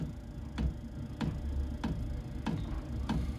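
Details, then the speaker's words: Diesel parking heater installed in a Foxbox, at start-up after the fan comes on: crisp, even fuel dosing pump ticks about every 0.6 seconds over a low hum. Normal fuel pump ticking. "the next stage will hear you'll probably hear the fuel pump working next there's a fuel pump starting go now"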